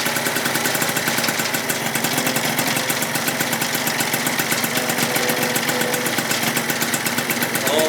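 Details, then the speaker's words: Freshly rebuilt Yamaha Zuma 70cc two-stroke on its first start and heat cycle, warming to about 180: fast, crisp, even buzz with no misses or knocks. Normal healthy idle. "First start, boys. Well, damn, boys, she runs like a champ."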